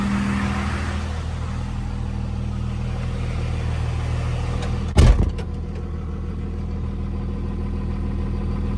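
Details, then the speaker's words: 2nd-gen Dodge Cummins diesel with NV5600 after short throw shifter install, inside the cab; low even rumble with one brief thump, no clutch or gearbox rattle, much quieter; normal idle. "All right, it is much quieter in here. This quieted down a ton."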